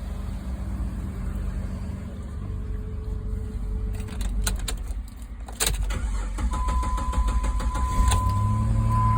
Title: Was a no crank no start🤦🏾‍♂️ needs a battery. Test started with used battery. Started successfully